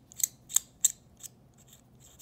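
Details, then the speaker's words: Hexamatic mechanical pencil barrel unscrewed before fix: short, thin, high-pitched chirps from metal threads rubbing on metal, a nasty squeak. "what happens is when you have metal rubbing on metal you can develop a really nasty squeak and it's super annoying"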